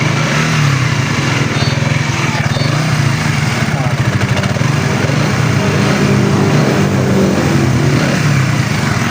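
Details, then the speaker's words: Raider 150 Fi after redoing a faulty overhaul (parts not replaced, reversed parts, wrong timing): smooth quick even firing with gentle throttle blips, no longer the rough knocking-inside sound from before. "Malayo na siya sa tunog kanina na magaspang na akala mo may nag-uumpugan sa loob."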